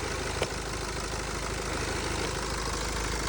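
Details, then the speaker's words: 2014 BMW 328d F11 high-mileage B47 diesel started after oil change: steady, even idle with light diesel clatter, no knocks or misses, slightly quieter than before; most noise seems from the intake/air box, which may need nailing down; sounds normal. "it sounds normal, nothing seems out of place. These are pretty loud little engines, and I kind of like that. I like a little bit of diesel clatter, I'll be honest with you."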